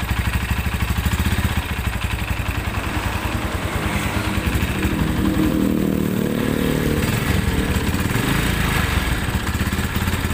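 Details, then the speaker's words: Tiger Evo motorcycle already seen at several shops, harsh running: a rapid, loud metallic clatter over the idle that gets louder, not quieter, with the clutch pulled; clutch housing rattle. "Oke ee di sini suara e koplingnya bukannya adem kalau di kopling malah makin kakak gitu kemudian dari area silinder kopnya ini terdengar suara keletak gitu"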